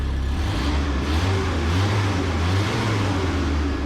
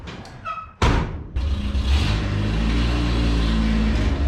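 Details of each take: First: Mini U-Haul truck, after trimming the fan shroud and tightening it: engine revs and holds cleanly with no ticking or scraping from the fan, which spins freely; exhaust sounds loud and needs work. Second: Mini truck pulling away: a loud, raw, blatty low rumble swelling under load from an exhaust leak, with some exhaust at the rear rattling.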